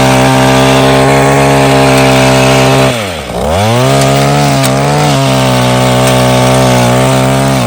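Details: Mantis Mini Tiller two-stroke with new carburetor and fuel line, after carb adjustment, tilling yard soil with some rocks: strong steady buzz dips as tines bite, recovers cleanly; pulls well under digging load.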